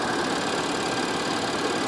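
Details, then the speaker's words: 2015 Audi Q5 Quattro salvage-auction car with light side damage, idling under the open hood. The engine holds a smooth, even hum with a faint supercharger whir and no knocks or ticks. Normal healthy idle. "there's really quite a bit of room to work under here easy to get to engine sounds great"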